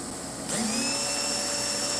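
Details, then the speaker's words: Slot car motor on a Dyno 2.0 after swapping in a different armature; spins up to a clean, high, steady whine with no rattle or hesitation, reading 364; the old armature is suspected tired; normal motor run. "oh look at that 364 that sounds much better I don't know maybe this maybe this Armature just got a little tired"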